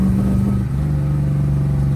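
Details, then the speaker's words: 1984 Volvo 240 wagon with a Mopar V8 swap, on a test drive after carburetor adjustments: deep, lumpy, uneven beat; it runs worse and is down at least one cylinder. "all right so it is actually running a little worse uh you can tell it's definitely down at least one"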